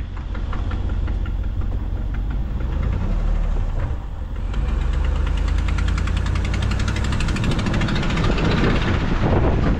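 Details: 2016 Ram pickup driving, heard through an open window: a steady rapid ticking over the engine with road and wind noise behind it, from an exhaust manifold leak that is getting worse and is going in for repair.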